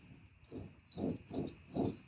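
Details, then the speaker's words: Toyota Tacoma front hub, wheel turned before replacement with Koyo hubs: faint rhythmic low grinding as the wheel turns, from a worn hub bearing with slight play. "any kind of grinding shouldn't be grinding like that that noise shouldn't be there"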